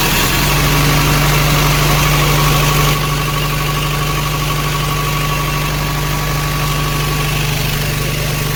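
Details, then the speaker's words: Cement bulker diesel after the starter motor's bad internal connection was resoldered and refitted: the engine settles into a steady, even clatter at idle with a constant low drone and no misses or grinding; normal idle. "देखिए माशाल्लाह सही हो गया। इंशाल्लाह सही हो गया।"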